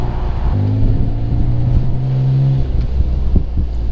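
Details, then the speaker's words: Mitsubishi 3000GT VR4 rebuilt forged 6G72 twin turbo, 15G turbos, 800cc injectors, standalone ECU, straight pipe, first drive warming up: revs up then stumbles and dies on throttle lift-off, running lean at times; needs tuning. "she keeps dying every time i get off the fuel that once i let off the throttle it needs to be tuned"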